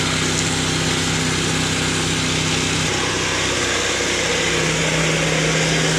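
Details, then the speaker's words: Loud, harsh, raspy engine drone with strong blatting exhaust note at steady speed; faulty exhaust pipe awaiting replacement by mechanic. "Suaranya berisik sekali ya teman-teman karena ada bunyinya itu."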